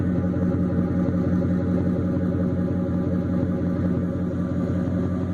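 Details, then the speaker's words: 2004 Ford F150 crew cab 4x4 stock 5.4 3V V8 after coolant pipe and intake replacement with new gaskets, exhaust heard just after restart with a little smoke clearing: deep, even burble around three pulses a second, no misses or ticks; normal idle. "Sounds pretty decent. You know, for a stock 5.4, I guess."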